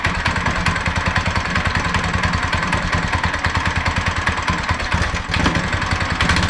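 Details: Go-kart small single-cylinder engine after torque converter and belt installation putters at a fairly even fast beat with no clatter or grinding; running fine.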